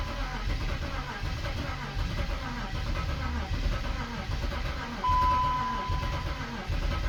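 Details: BMW X5 engine that stopped running, oil pressure confirmed, fresh plugs, MAF in place, first crank attempt: uneven lumpy low thrashing that never settles; sounds like internal damage, cause suspected, not confirmed; owner plans engine swap.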